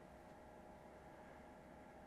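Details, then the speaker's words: Steam Machine-style gaming PC with RTX 5060, cold start at idle, mic placed close: soft steady whoosh with faint even hum, no rattle or pulsing; very quiet, healthy fans. "That I would describe as very quiet. Yeah, you can certainly hear that it's on, but it's not loud."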